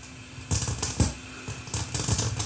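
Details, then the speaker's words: Viking SC5894 8-track recorder on the bench after head height adjustment: a metal foil splice passes and sharp mechanical clacks come in quick bursts as the head shifts, a normal track change; crackling follows afterward. "Rolls through here. There, and that tripped it to the next track. And now the song will continue."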